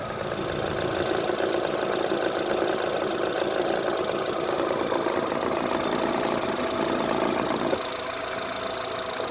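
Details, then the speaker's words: Used Kia Morning small petrol engine at idle, recorded close up in the engine bay during a used-car inspection: steady, even idle with a smooth, consistent rhythm, no knocks, dull thuds or misses; normal engine sound. "소리가 난다고 해서 차가 문제가 있는 거 아니에요. 그 정상적인 소리 범주가 있거든요."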